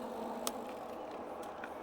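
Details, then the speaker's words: Favoto Flurry 2.0 ebike with 26x4 fat tires on its first ride: a steady rushing hum with a couple of sharp ticks, like something brushing the spinning tire. The rider suspects a leaf caught between the tire and the fender; unconfirmed. "Did we just get a leaf inside of the tire and the fender? That was kind of scary, but I'm pretty confident I just had a leaf or something."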